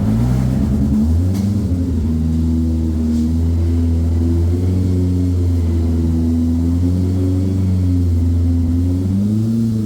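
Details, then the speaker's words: Polaris RZR Pro R with LaRue premium turbo kit and stand-alone ECU, cold push-button start: cranks and catches within a second, then settles into a steady even low idle with no knocks or misses; healthy start. "let's fire it up with the start button here as you can see that it does start pretty good"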